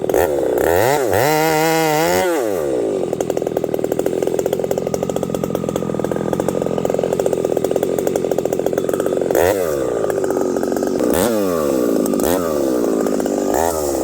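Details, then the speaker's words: Husqvarna 371xp chainsaw with pop-up piston, 28 inch bar, in hardwood on a hot day around 35 °C, carb was filthy; screams at high revs, surges unevenly, hangs high instead of idling; randomly goes lean during underbuck, owner suspects carburetor dirt. "then I do an underbuck the saw goes randomly lean and will not return back to idle um I don't know what the deal is maybe there's something going on with this carburetor"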